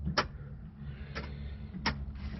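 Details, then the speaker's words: 2005 Ford Explorer rear liftgate: sharp mechanical clicks from the hatch latch actuator about every 0.8 seconds when the open button is pressed, as though trying to unlatch, but the hatch never releases. "whenever you hit the button to open the full the full hatch you hear it clicking i don't know if you can hear that as though it's trying to unlatch"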